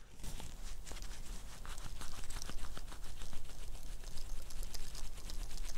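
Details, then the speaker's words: Acura NSX timing belt tensioner pulley of unknown age, removed and spun by hand near the microphone: dry, gritty rattle with irregular clicks, and the bearing feels slightly loose; it should make virtually no noise, so the tensioner pulley bearing is worn. "so when i'm rotating that that's the kind of rattling noise that you're hearing i'll probably have to boost that in post but it's not supposed to sound like that it shouldn't when you're moving the bearing back and forth it shouldn't make really any noise"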